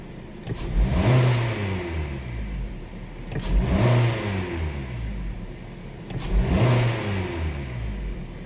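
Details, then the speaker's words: 2018 Hyundai Sonata 2.4 with P1326 knock sensor code, after clearing code, snap throttle: three quick revs rising and dropping cleanly, no knock at the top; scan data shows knock detection off, no knock detected. "It's just knock detection off, so it didn't detect any knock."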